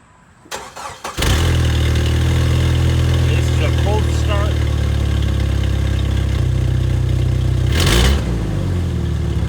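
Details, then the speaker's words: 2.5L Jeep Wrangler TJ, old muffler rusted and broken off at the back with a hole at the outlet: starts and idles loud, deep, raspy and blatting, harsher on revs; exhaust leak before new muffler. "the whole muffler is corroded and broke off at the back of the muffler so we're gonna turn it on and see what it sounds like"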